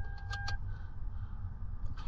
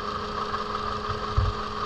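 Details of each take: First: 2007 Toyota Camry four-cylinder with a flashing check engine light from a misfire, after new spark plug wires and a coil pack swapped in from another Toyota. Keys and clicks, then a steady low idle without obvious stumbling; normal idle. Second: 2007 Toyota Camry with flashing check engine light after new plug wires: uneven, stumbling idle; unplugging each coil shows the number 3 cylinder coil is dead, causing the misfire.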